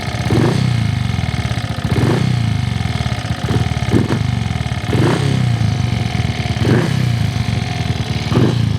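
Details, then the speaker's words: Triumph Tiger Cub single-cylinder motorcycle on rollers outside, throttle rising about every 1.5 seconds; runs much better than before but puts out far too much oil smoke, new piston rings on order. "It sounds way better than before. And you'll also see how much smoke is coming out the back. It's kind of unacceptable, but new rings are on the [Music] way. Way too much smoke."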